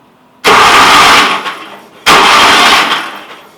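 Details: Vintage Commuter Industries TE390 three-wheeler with old oil and a replacement battery: two short cranking bursts, each under a second, engine spins but never catches; spark and air confirmed, carburetor found faulty, no start.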